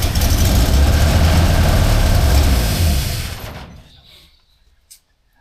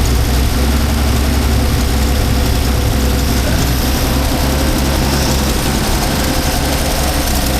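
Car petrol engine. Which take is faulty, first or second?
first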